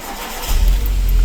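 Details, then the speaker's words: 2010 Hyundai Getz that would not start (no fault codes), after replacing the crank angle sensor near the transmission by the exhaust manifold: brief crank, fires at once into a strong, even run; normal start. "Yes, this is started. This is after replacing the crank angle sensor. So the job is done."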